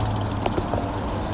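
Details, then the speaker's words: Toro TimeMaster mower with blades engaged: engine drone with sharp uneven clunks and rattle from a loose brake pulley and damaged sprocket on the blade drive. "so i can start these blades up so you guys can see how loud that brake pulley is and that sprocket's messed up"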